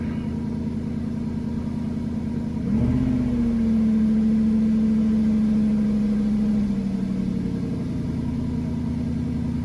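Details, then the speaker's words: 2002 Northstar, previously P0300/P0121 with idle surging up and down and the check engine light on: after a brief rev it holds a steady, even idle at one pitch; a normal idle. "Oh yeah, that's a whole lot better."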